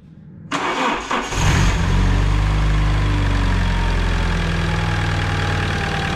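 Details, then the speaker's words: Alfa Romeo 156 petrol engine started, then idling unevenly and lumpy with a faint ticking top end; the engine has an evident lubrication problem, leaving the cam lobes chewed and shaved down; further faults unknown without teardown. "Motor má evidentní problém s mazáním a projevuje se tím, že jsou kousané vačky, které jsou prostě už oholené."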